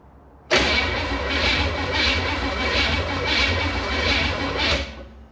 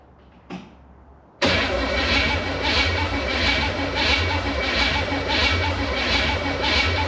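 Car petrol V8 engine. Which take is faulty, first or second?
second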